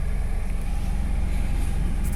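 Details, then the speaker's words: 2014 Daihatsu Ayla 1000cc manual type M, previously idle rpm rising by itself; steady even low idle rumble, no surging, shaking or knocking, minimal vibration even with rpm raised; smooth healthy petrol idle. "Getarannya emang minim sih emang ini. RPM ditinggikan juga gak getar."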